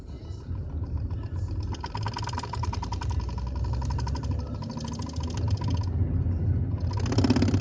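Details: BMW 320d E46 diesel accelerating in low gears up a slight incline: a fast, uneven rattle over the engine drone under load; noise under acceleration, source unknown.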